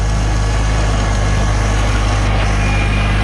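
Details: Farmall tractor after a can of Seafoam in the fuel: deep, steady low rumble with an even beat and no misses, knocks or rattles; normal idle, sounding better than on its last run.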